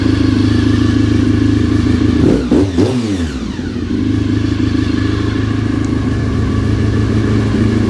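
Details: Honda RC45 RVF750 V4 after spark plug replacement (old plugs very bad; injectors tested fine): strong, even burble with a quick throttle blip dropping cleanly back to idle; all cylinders firing, healthy.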